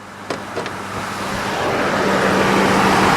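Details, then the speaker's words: Vehicle after replacing the screaming idler pulley beneath the alternator (alternator was not the cause): steady, even engine run with no squeal from the belt area, just a couple of light clicks; sounds healthy. "As you can hear, sounds perfect now. It wasn't the alternator. It was the idler pulley right underneath of it that was screaming."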